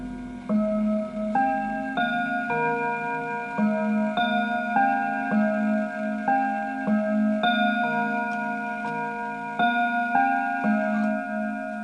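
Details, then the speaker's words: Antique Enfield Westminster chime mantle clock, fully wound, chiming the quarters from 1:15 through 2 o'clock: clear, evenly struck bell notes play the full Westminster tune and hour strokes. Healthy chime train. "And to make sure that the clock is actually chiming properly, let's have a listen to it. So at 1:15, okay, at 1:30, at 1:45, and then at 2 o'clock."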